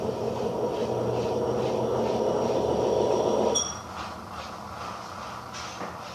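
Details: Electrolux washing machine making a strange noise and not spinning. A loud, rough grinding roar as the drum tries to spin, then dropping off suddenly, from worn motor bearings damaged by a water leak.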